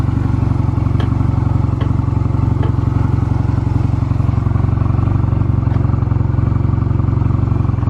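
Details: Stored Honda Rebel 250 Special (MC13-1103) start-up check: even, steady idle with a regular low thump of about four beats a second and no knocks or rattles; normal idle, no abnormal engine noise.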